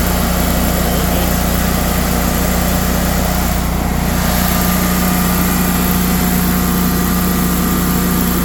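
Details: Generac 24 kW standby generator running in manual mode after an oil and filter change and new spark plugs, for voltage and frequency checks: a steady low drone with an even firing pulse and a constant hum, no knocks or misses.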